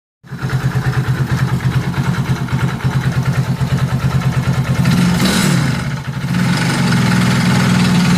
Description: Nagkakaron ng ingay sa makina kpag nag aaccelerate